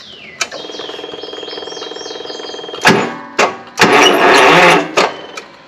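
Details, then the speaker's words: Wright ZK61 stander mower, 37 HP Vanguard EFI engine, blades won't disengage: slow, labored even cranking that never catches as a bad electric blade clutch drags the engine turning the blades; battery and starter OK; fix is clutch replacement. "And that's when I'm trying to start it, is attempting to turn the blades."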